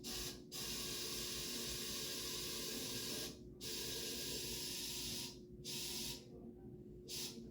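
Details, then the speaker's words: Anesthetic machine leak check with pop-off valve closed, not connected to patient: O2 flush pressed to fill the reservoir bag to 20 cm water on the manometer; steady loud gas hiss in bursts with pauses, normal flush, no leak. "you want to press the O2 flush and you want to watch the manometer here get up to 20 centimeters of water and they should be able to fill the bag all the way"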